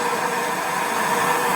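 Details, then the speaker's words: Motorhome stereo: steady even hiss through the speakers with no engine note; old head unit faulty, red and yellow loom wires suspected reversed, replaced with new stereo. Speaker hiss from faulty stereo. "Right, so you can hear the hiss."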